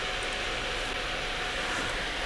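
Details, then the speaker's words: Asus Strix GTX 1080 graphics card: loud, unchanging airy rush as the other two fans run pinned at full speed to compensate for the slowed rear fan with a worn bushing, ignoring Afterburner settings; fix is lubricating the rear fan. "Así que bueno, vamos a arreglar la placa a ver si con esto lo solucionas, porque no podemos tener una placa andando a esta velocidad, obviamente. Se van a destruir los otros dos ventiladores."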